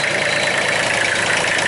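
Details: 2005 Massey Ferguson tractor, Japanese three-cylinder diesel, with the pressure line retightened: even, steady diesel idle with a constant hiss and clatter, no misses or surging. Normal idle, confirming the shutoff solenoid diagnosis.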